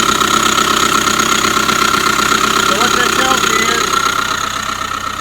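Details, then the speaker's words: 2005 Subaru Forester 2.5 boxer SOHC, long dog-whistle noise then knocking after a botched timing belt job: steady high whine over even idle, traced inside timing belt cover; tensioner or idler pulley bearing suspected. "timing belt tensioner or an idler pulley or something inside of there is making all this noise."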